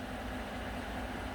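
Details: Normal low even idle, no knocking or ticking, of a 2014 Chevy Silverado 5.3 V8 after oil pump replacement for recurring code P06DD; oil pressure now swings 40 to 54 psi at idle, working fine.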